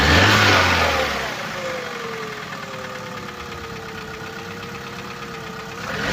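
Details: Opel Corsa D 2011, 1229 cc 63 kW/86 PS petrol engine A12XEL, 150,980 km: engine drops from a rev back to idle with a sharp, regular knocking under the hum from the engine bay; diagnosed connecting rod bearing failure (rod knock).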